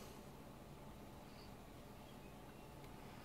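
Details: GTX 980 Hall of Fame Edition graphics card under normal gameplay load, side panel off: steady fan hiss and low hum with no high-pitched coil whine; slight whine only appears under extreme benchmarks or unlimited frame rate.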